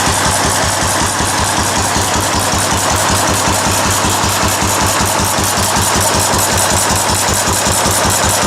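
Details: Restored 4 hp Cushman Binder single-cylinder engine with wide flywheel, original paint and tank, started stone cold after priming: steady even chuffing about 158 beats per minute, no misses or knocks; runs well after restoration.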